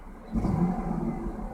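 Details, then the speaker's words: 2001 Ford Mustang, parked: sharp throttle blips come up rough and uneven, a misfire, while gradual throttle is fine. The cause is undiagnosed; an exhaust-leak-like sound at cold start fades. Not confirmed. "i do it gradually like this it's totally fine put it abruptly kind of misfires"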